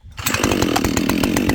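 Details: Husqvarna 572XP chainsaw built from used parts, hot restart after heat soak from milling. Fires up and settles into a steady, raspy two-stroke idle with even popping. Normal running, no hot start issue.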